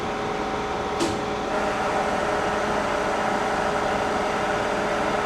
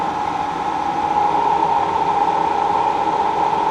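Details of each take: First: K&T mill after fixing loose connections and topping off column oil, spindle started at low speed (25): steady even hum with constant hydraulic pump whine, no knocks or grinding; normal smooth spindle run. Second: K&T milling machine after move; motor and hydraulic pump run with steady hum, mid-pitched tone and whoosh, but the X-axis table power feed does not engage when lever is engaged; cause unknown, hydraulic testing planned.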